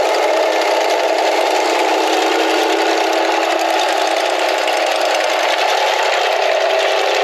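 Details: Small bed edger engine, with blade cutting soil: steady, even high buzz holding speed, no surging or stumbling; running healthy under load.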